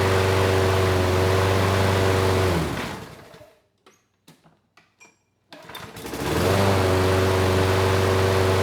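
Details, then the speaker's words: Craftsman lawn mower 917.374541, engine 128T02-1270-B1, after freeing a sticking auto choke: single-cylinder drone cuts out, restarts and settles into smooth regular running with no hunting; choke now opening, runs well, only a slight occasional stutter. "that was much better the choke sounds like it is turning off now the engine is running well"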